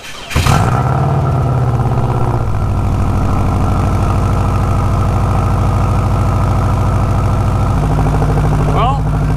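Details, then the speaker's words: Turbocharged 2006 Subaru Impreza wagon (NA/T), about 100,000 miles, tuned while it had a boost leak, started in cold snowy weather: brief crank, instant fire, high cold idle that steps down to a steady, even idle; normal cold start. "It started up pretty normally like it always does. Sounds good, running good, and it's definitely Subaru weather."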